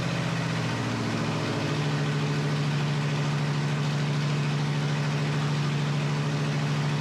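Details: Flathead Ford 8BA V8 from an F1 pickup, 12V conversion, new ignition parts, unrebuilt carburetor, first start: a low, even burble holding a steady pitch with no misses or knocks, normal idle.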